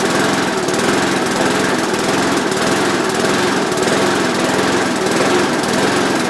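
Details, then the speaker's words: Rover ride-on mower with replacement Briggs & Stratton single-cylinder engine, cold start after the engine change, fixed throttle: steady even beat with no misses or knocks; running healthy. "This will be the cold start on the Rover after the engine change, so I'm going to start it up."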